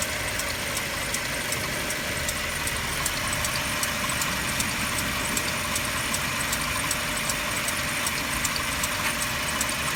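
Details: Mercedes W204 with M271 engine, cold idle: a light, fairly quick ticking knock rides over a steady hum; the owner asks for help and the cause is unknown.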